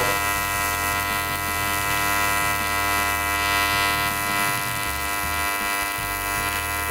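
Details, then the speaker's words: YesWelder CT2050 AC TIG welding an aluminum butt weld, coupons spaced off a 1/2 in steel table, keyhole and dab filler: steady, even electrical buzz with a constant high hum, no crackle or sputter; normal stable arc. "I hope you can hear me over the buzzing but we can hold that puddle here in definitely that is the beautiful thing about Pig welding"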